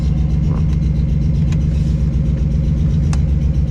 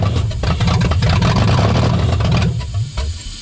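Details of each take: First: 1996 Toyota 4Runner bought not running, idling with the exhaust open: heavy rumble with a faint, uneven tick a few times per second. Owner hopes it is the exhaust rather than an engine knock; ticking at idle, cause unconfirmed. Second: 1996 Toyota 4Runner bought not running, owner suspects a bad starter relay, started with starting fluid; uneven low lumpy rumble that settles after a few seconds, the engine has caught and runs.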